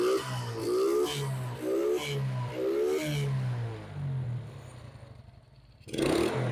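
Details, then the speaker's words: Suzuki Smash that had carburetor stumbling (brebet) on throttle, now after idle adjustment, carb filter not yet fitted. Revs up cleanly in quick blips and drops back to a steady idle without stumbling. Normal idle and revving. "ini sudah enakan bagian langgamnya tarikan gas juga sudah responsif motor juga sudah enteng sekali tarikannya sudah tidak terjadi mampet"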